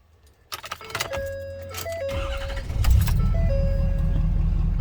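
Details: 2014 Ford F-350 6.7 Powerstroke diesel that had not cranked or started, after repairing a damaged wire in the fender well: key chimes, then it catches after a short crank and settles into an even, deep diesel idle.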